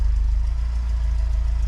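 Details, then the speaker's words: Austin Allegro 1300 Super, first start in months after jump start on a cold day: steady, even low rumble with no knocks, misses or hunting; sounds happy, idling smoothly. "She sounds happy. Really happy."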